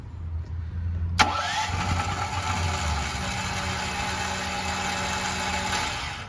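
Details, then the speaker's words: New Firman T07573 tri-fuel generator, switched to liquid propane with the propane valve fully open and choke on start. A sharp start, then about five seconds of even cranking that never fires; cranks but won't start, cause unknown. "I do not know why it's not starting with liquid propane this is getting aggravating though"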